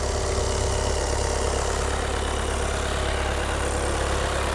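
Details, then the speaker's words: 2020 VW Passat B8 2.0 TDI 110 kW diesel, fully warmed up, inspection for registration; steady even diesel clatter with smooth low rumble, no knocks or misses, flywheel quiet, clean engine running. Normal idle. "куниці без шумку не пожерли з щурами все нормальнона робота мотора чиста маховик нормальний не чути теж"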